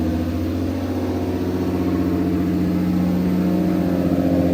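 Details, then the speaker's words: Turbo BMW E46 with an M52B28 straight-six swap, Link ECU and 1650 injectors, idle fueling freshly tuned: steady, even idle with a smooth low hum, no misses, knocks or hunting. Idles super smooth; normal. "it's actually really nice these are quite big injectors you got a lot of head room and it still idles super smooth"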